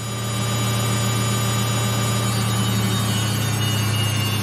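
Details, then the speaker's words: Samsung 8kg Eco Bubble front-load washer, used 3 years, final spin at 1200 RPM with about 2 minutes left: smooth, constant low hum with a steady tone, no thumps or scraping; healthy normal spin cycle. "Now we're just spinning, and this it's doing at 1200 RPM, so fast. And we're just remaining with 2 minutes. It's just 2 minutes to finish this wash. As you can see, it's spinning at 1200 RPM. This is 1200 RPM, as you can see."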